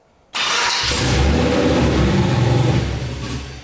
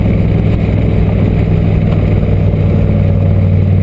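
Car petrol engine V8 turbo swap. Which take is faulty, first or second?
first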